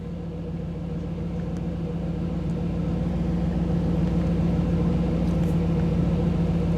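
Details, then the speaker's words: 1985 Camaro IROC-Z TPI, new engine build, after backing out of the OBD-I scan tool data stream: idle drops from about 975 to around 750 rpm, settling smooth and even with no knocks or misses; healthy idle. "so you could hear the difference in the idle what that is is when I dropped out of when the when I went out of the tools um display when it's not getting the data stream then the idle drops back down"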